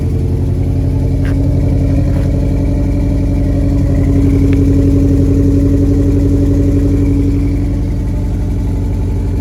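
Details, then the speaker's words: 1987 Ford Sierra Cosworth, first start after 3 years stored: lumpy, uneven idle with limping exhaust beat, running on three cylinders; pulling coils showed number 4 dead. "Yeah, so we're not on all cylinders at the minute."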